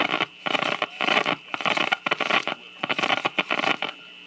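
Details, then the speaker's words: Zenith 600 Series Trans Oceanic radio on the broadcast band with a makeshift outdoor antenna: harsh crackling static bursts cut in and out as the cord is pulled from the cord reel, caused by dirty, intermittent cord reel contacts. "Okay, do you hear that static? Okay, there's a reason for that. This one isn't particularly bad, but sometimes these things get so bad, in fact, that the radio could just be sitting here and idling"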